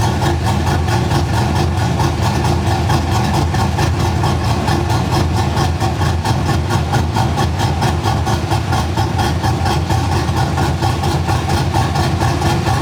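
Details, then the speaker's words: Gen 3 V8 with mild cam (216/220, .550, 114 LSA), base idle timing about 18°, ±12° idle timing corrections: lumpy, uneven loping chop about two beats a second, hunting and ragged; idle mixture deliberately set too lean. "and then here's going to be a sound clip of it running to lean I'll go ahead and do that right now"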